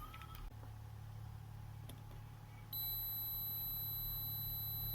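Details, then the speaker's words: Multimeter continuity test on an inductor coil on a circuit board: a steady high-pitched buzzer tone holds while the meter reads about 3 ohms, meaning the inductor is good. "3 ohms காட்டுது and plus buzzer sound வருது. So அப்போ இந்த inductance வந்து நல்லா இருக்குன்னு அர்த்தம்."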